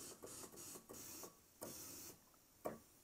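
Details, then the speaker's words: Roland Juno-106 (1984) synth in test mode, DCO noise only: short hissy bursts step through voices 1–6, and voice 2 sounds ragged and cuts in and out. Faulty A1QH80017A voice chip number 2, whose epoxy insulation has broken down. "There's a problem with this voice chip number 2. The sound comes out and then doesn't come out, right?"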